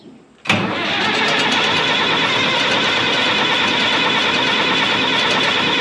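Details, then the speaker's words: 1965 Minneapolis Moline G707 diesel tractor parked 13 years, fresh diesel with conditioner, half then full throttle: steady cranking whirr for five seconds with no firing beats; cranks but won't start, fuel system lost prime. "Come on. I guess we better stop and work on priming this thing a little more. I didn't think it'd lose prime that bad, but you just don't know."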